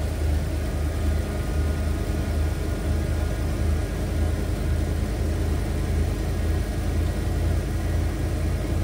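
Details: 1991 Ford Econoline E350 after replacing the stuck fuel tank selector valve (it had drawn only from the rear tank): low, even rumble at a steady, smooth idle with no knocks or misses; healthy running.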